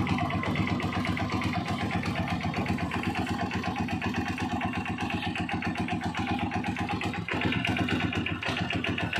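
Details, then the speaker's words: Honda TMX single-cylinder motorcycle after tune-up, oil change and adjusting very loose valve clearance; idles steadily with an even, quick thump and no loose valve tapping. "Guys tapos na tayo napakagandang andar niya"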